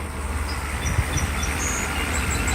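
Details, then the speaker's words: Mercedes SL600 V12 just after refitting an overhauled throttle body for an ASR fault, warmed up a little: a low, uneven, lumpy idle. Owner attributes the fluctuation to known intake vacuum leaks, not the throttle. "there will be probably idle fluctuations because I have some vacuum leaks"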